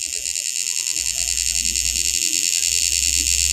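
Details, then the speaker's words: 48 V auto-rickshaw charger, plugged into AC mains: sharp, high-pitched electrical buzz with a fast rough "kit-kit" chatter the whole time it is powered; a failed component is suspected, likely in the power stage or an IC, not confirmed. "তো এই সমস্যাটি হচ্ছে এই লুকি চার্জারটি কিটকিট কিটকিট শব্দ করে।"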